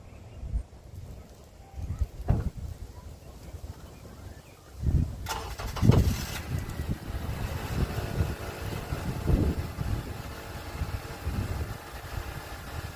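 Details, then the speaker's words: 2006 Honda Accord after rusty exhaust leaks were patched with a flux-core MIG welder: a low, soft exhaust rumble with a regular pulse and no hiss or puffing; normal, sealed exhaust note. "sure it sounds a whole lot better. I should have took a video of what it sounded like before, but you guys saw it."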